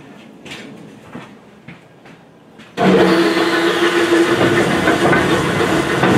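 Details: Lee & Hunt vertical slotter, formerly seized, now running: a few light knocks, then a loud, rough rumble with a clunk of about 220 a minute; source still unknown, bull gear, bearings and pulley being considered.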